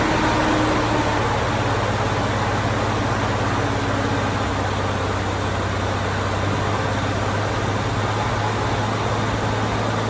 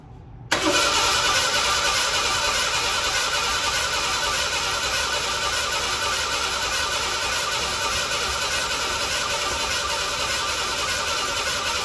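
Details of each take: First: 1987 Ford Bronco II, first start after sitting 15 years, following an ignition coil replacement and reconnecting a ground wire: the engine settles into a smooth, even idle with a steady low hum and no misses or knocks; normal idle. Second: 1987 Ford Bronco II, abandoned 15 years, fuel tank just dropped; fuel pump audible, starter churns steadily over ten seconds with no firing, crank no start.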